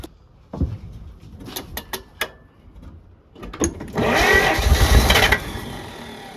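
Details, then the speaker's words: 1948 Pontiac abandoned 35+ years: loose clicks, then a short uneven cranking burst with a few weak catches but never runs on its own; cranks without starting, close to firing. "up you guys hear that it's getting close it's getting close is what that means I think if we can just get it to fire off it should run off its own fuel"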